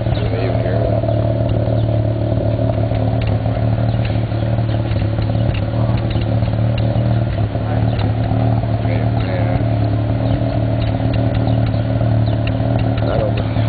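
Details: 1991 Mazda RX-7 NA (S5) street-ported rotary with headers and possibly Racing Beat cat-back, rough idle with irregular exhaust pops and crackles over steady drone (afterburn); owner doesn't think it's a vacuum leak, cause unclear.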